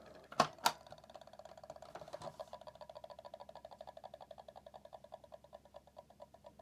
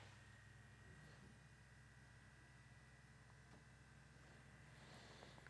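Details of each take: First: PlayStation 1 at power-on, before servicing: two clicks, then a fast even rattling tick about four per second from the CD-ROM drive, louder than a lawn mower; noisy worn, dry spindle motor. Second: PlayStation 1 drive after spindle motor hub adjustment, disc spinning: quiet, even low hum with a faint steady whine and no rubbing, then a long spin-down. Normal healthy disc spin after repair.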